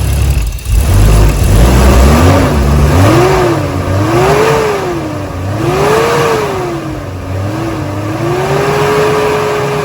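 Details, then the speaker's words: 1986.5 Toyota Supra MK3 with 2JZ swap, cold start after leaking fan clutch replaced, idle being raised: idle hunting slightly, steady fan whoosh and rising whir as it settles; new fan clutch engaging normally. "cold start so running a little rough but we'll turn up the idle a little bit you can see the"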